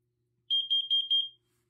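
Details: First Alert/BRK SC9120B smoke and CO alarm and 7010B photoelectric smoke alarm test button: quick run of four or five sharp high-pitched chirps in under a second, then silence; test cycle working normally.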